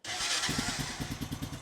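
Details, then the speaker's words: 2000 Honda Foreman 450 ES ATV, engine reinstalled after shifting fault: crisp even single-cylinder thump at steady idle, evenly spaced with no ticks or rattles; engine sounds healthy, now shifts into first, neutral, reverse. "It does sound good though. I like the way that engine sounds. It sounds good."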